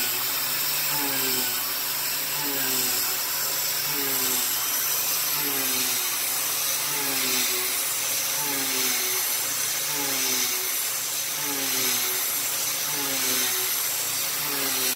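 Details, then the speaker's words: YG1 Alu Power 3/8 in three-flute uncoated end mill, adaptive clearing at about 0.070 in width of cut: steady high spindle whine with even repeating cutting rhythm, no pitch drop or slow-down under load; normal cutting, no bogging. "okay well that cut like butter there wasn't uh a single hint of slow down or anything no noise or anything"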